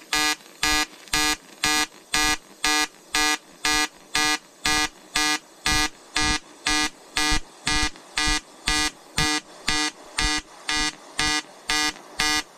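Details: EWM Tetrix XQ 230 Puls AC/DC inverter TIG welding 5000-series aluminium lap joint: 2.4 mm lanthanated tungsten, 2 mm filler, 94 A pulsed (0.20 s pulse/0.30 s pause), 150 Hz rectangular AC. Steady buzzing arc pulsing evenly about twice a second, clean tone; normal AC TIG arc.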